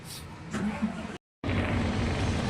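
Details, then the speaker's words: Fuso 6M70 truck diesel with check engine light and low power, before repair: starts and idles with a lumpy, uneven shaking rumble from faulty injectors misfiring; runs smooth after injector fix. "Umaandar nangangatog ayan na natin kung anong lalabas nangangatog oh tapos accelerate natin"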